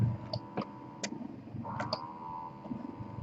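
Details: Spectra S1 and Milk Genie breast pumps at high suction levels (Spectra highest, Milk Genie level 10): steady motor hum, rising suction whoosh and soft ticks in an even cycle, comparable noise, running normally.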